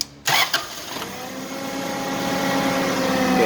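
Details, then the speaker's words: Toyota 7FGC U25 forklift, 4Y engine: starts, runs about 30 seconds then cuts out with error code 42; on restart it cranks, catches and idles rough and uneven, engine oil light on; suspected failure to build oil pressure, not confirmed. "so the engine oil light is on."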